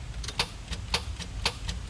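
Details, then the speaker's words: Truck's first crank attempt after rewiring the starter relay: sharp clicks about twice a second with faint ticks between and no cranking; the starter engages but can't turn the engine, blamed on an old battery. "it's not doing anything other than that. All right, so I know what the issue is. It was an old battery."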